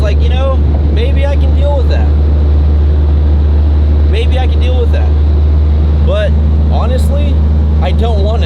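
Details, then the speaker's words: Chevrolet SS sedan cruising: heavy steady low drone from rear, everything shaking including mirror and gauge needle; driveline vibration, owner suspects drive shaft. "so you guys got a glimpse of what currently goes on with the SS it vibrates pretty bad"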